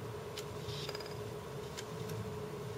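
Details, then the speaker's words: 1 TB external RAID 0 drive (two 500 GB drives) being power-cycled: scattered sharp clicks and a clunk as it fails to bring the failed second drive online, status blinking not ready; neighbor's music audible. "you hear that clunk? The click, click, and the clunk? It was trying to bring that second drive online, which it didn't."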